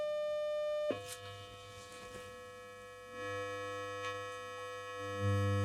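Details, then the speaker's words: Sony CRF-320 32-band radio receiver under restoration: clean steady 600 Hz test tone fed to the auxiliary input switches to a low hum that swells as bass is turned up; treble and bass respond, audio section working fine. "yeah it definitely responds so the whole audio section seems to be working fine now thank God for that"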